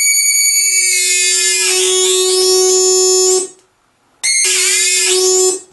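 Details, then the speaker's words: Bose L1 Model II portable PA fed a test tone from a signal generator into the analog input: after about a minute the output cuts in and out at higher signal, high-pitched whistle when turned down; power light flashes red in time, owner suspects power supply or amplifier oscillating. "I turn the signal up to a certain extent it cuts in and out when I turn the signal down all the way it just does that high pitch whistle"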